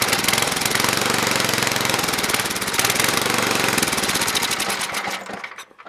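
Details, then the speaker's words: Toro 724 two-stage snowblower, 7 hp engine, unused about 2 years, fuel line replaced, carb primed and choked: rapid, uneven, loud ragged firing that then fades out. It runs rough on its own fuel with the float working, and needs carb tuning. "It's going to definitely need some tuning work done to it, but we'll do that all in this episode."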